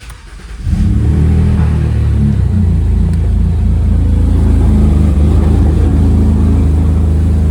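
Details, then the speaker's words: BMW E91 N52 engine started after valve cover gasket replacement, with the Valvetronic motor removed and recalibrated; cranks, catches within a second and settles into an even, steady idle with no knocks or misses: normal start and idle. "It should run fine. We didn't have anything out besides the Valvetronic motor, but just to make sure, I'm going to start it up."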